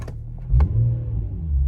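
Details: Infiniti G35 Sport HR sedan, nearly warm, after tightening loose ISR Y-pipe bolts that caused an exhaust leak and high idle; low steady rumble at idle, no ticking or puffing, settled and even. Normal idle.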